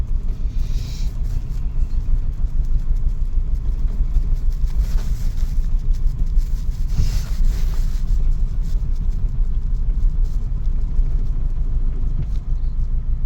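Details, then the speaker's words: 2000 Toyota Celica GT at cold idle just after reinstalling new parts: low, uneven, lumpy rumble with no clear knock and a shake that is still there; owner thinks it may need to warm up. Rough idle. "This feels very weird. What the? Still shaking. Yeah, I should let it warm up. I don't know, what the heck is that shake? It's pretty bad."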